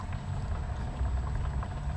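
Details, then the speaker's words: New Black & Decker variable-speed inground pool pump, replacing an old worn Pentair single-speed pump, primed and running at its slowest speed: very quiet, even low hum with faint water gurgle, no bearing whine or grinding; normal low-speed running. "Slowest speed setting. I can't even hear it."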